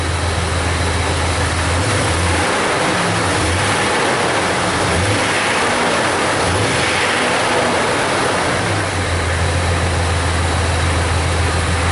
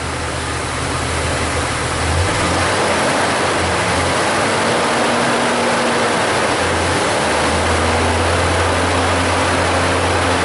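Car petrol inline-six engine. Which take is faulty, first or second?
first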